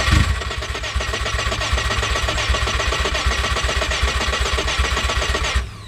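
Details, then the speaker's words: Subaru H6 engine-swap car, battery in, minimal harness connected, no fuel yet: after replacing a broken starter with an intact one, strong even cranking about four turns a second for five seconds, then stops; normal healthy starter cranking. "listen to how much better this sounds with an actual star that's intact not in a couple pieces this is ridiculous"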